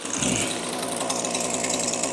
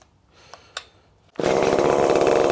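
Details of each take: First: Echo SRM-2620T two-stroke string trimmer, two years daily use with no maintenance, 50:1 mix: runs rough and muffled, bogging down on any throttle, weak exhaust flow; clogged spark arrester screen restricting exhaust. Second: ECHO SRM-2620T two-stroke string trimmer that had been running rough and losing power, started with its clogged spark arrestor screen removed; fires after a couple of pulls and holds a high, steady scream with no bogging; revs freely, clogged screen confirmed as the cause.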